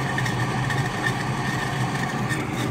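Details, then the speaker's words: Trane/American Standard 4YCC gas pack (same condensation issue as recalled 4YCY units, not covered by recall): combustion blower sounds horrible, steady rough churning roar with raspy edge as water spinning in blower housing drags the wheel, preventing vacuum. "and now if you hear the combustion blower it actually sounds pretty horrible"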